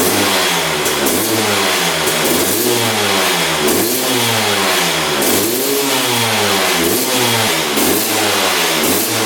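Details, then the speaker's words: 2001 Honda CR250 two-stroke that wouldn't run, after draining old fuel and adding fresh 40:1 premix: crisp revving up and down with clean pitch rises, no bogging or sputter; runs well. "Looks like it's working pretty good."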